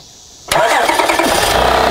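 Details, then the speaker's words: Honda Odyssey with an intermittent no-crank, no-start: after a brief silence a click, then quick cranking pulses as the engine catches and starts on a later attempt; starter suspected, wiring to be tested first. "Okay. So it basically starts whenever it wants. So it clicks first and then it starts."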